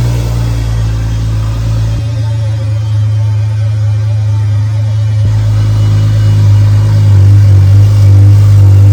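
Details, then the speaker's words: Freshly built BMW 335xi engine, first start with no coolant, run briefly: deep, steady idle with even firing, then clean throttle blips that rise and settle without misses; healthy. "all right boys we did it she's running running real good i'm not gonna let it run too long because there's no coolant in the system"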